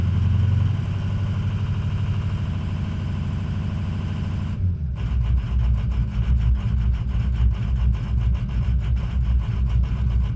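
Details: Ford 6.0 diesel idling cold while warming up, high ICP pressure; the idle goes lumpy and uneven about halfway through with a loping beat. Caused by a faulty injection pressure regulator; an OEM IPR fixed it.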